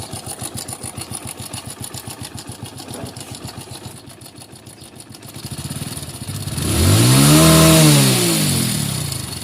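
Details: Hero Splendor Plus motorcycle, single cylinder, idling with a steady dry clatter from the top end before the timing chain is removed: timing chain rattle at idle.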